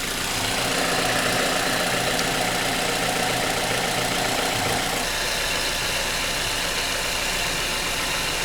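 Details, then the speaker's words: 2009–2010 Mazda 6 running just after serpentine belt replacement with the tensioner released; steady, even engine run with a smooth belt hiss, no squeal or chirp, the new belt operating normally. "I'm going to release the tensioner, and then I'm going to turn it on and make sure that the belt is working properly."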